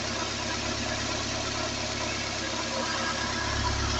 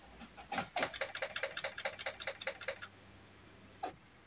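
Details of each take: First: Peugeot 206 CC S16 engine after replacing hydraulic lifters, new timing and accessory belts and engine mount, warm at temperature: smooth even idle, no top-end ticking, steady quiet run; normal idle. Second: Peugeot 206 CC S16 first start after replacing hydraulic lifters, new timing belt and accessory belt: cranks, catches, settles into fast light ticking over idle while oil pressure builds in the new lifters.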